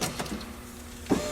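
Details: 2002 Saab 9-5 Turbo passenger window after repair of a window that came off its track. Short, quiet whirr of the window motor with a couple of light clicks: power window runs smoothly, normal operation.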